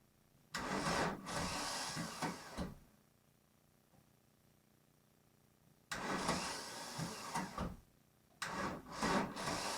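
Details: VW Golf Mk1 1.9 turbo diesel cranked after five months of winter storage: three bursts of labored, uneven cranking at about three turns a second that never catch; bad starter sound, weak battery or tired starter suspected, not confirmed.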